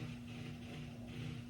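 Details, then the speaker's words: Engine being revived after about 20 years sitting, with fresh fuel added: electric fuel pump gives a steady hum with a droning whirr that swells and fades; pump works but sounds unhealthy and noisy. "doesn't sound the most healthiest the pump isn't that but it was working all right as well"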